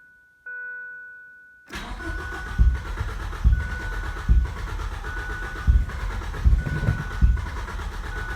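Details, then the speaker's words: 1989 Ford Probe GT Turbo after new fuel pump install, clutch in, fuel lines hooked up, cold weather: chime then uneven cranking without catching; crank no-start, exhaust leak heard, unsure of fuel delivery; plugs and fuel pressure to be checked. "on that's a weird one what's going on with that now we're gonna have to pull plugs and look at stuff"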